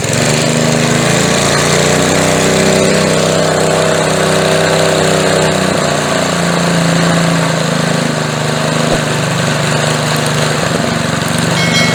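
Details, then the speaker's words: Older edger/mower with a McLane-type carburetor, running with the air filter on after a carb diaphragm replacement and a switch from a non-resistor to a resistor spark plug. Loud, clean, steady buzz with no skips. Normal running. "and that did it. She sounds a whole lot better. now."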